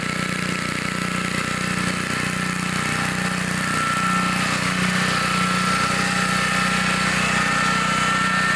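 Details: 1960s Bolens 28-inch Lawn Keeper mower, carburetor not adjusted, untouched at least 15 years, mowing grass: small single-cylinder pulling steadily, even beat with no misses or surging; runs good, normal running under load.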